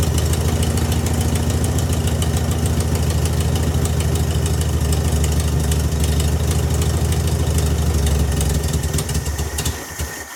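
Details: VW Beetle with new Pertronix distributor and coil: low lumpy uneven idle that sags then stalls; timing looks closer to right, owner suspects carburetor way off; rough running.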